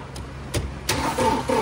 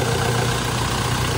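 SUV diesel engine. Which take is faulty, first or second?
first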